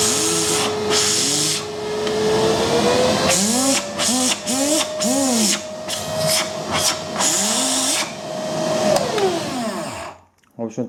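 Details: Philips vacuum cleaner, formerly humming and shaking from failed motor bearings with balls escaping. After bearing replacement and a lathe-turned armature, the motor spins to a steady, clean whine and winds down. Brushes are still bedding in.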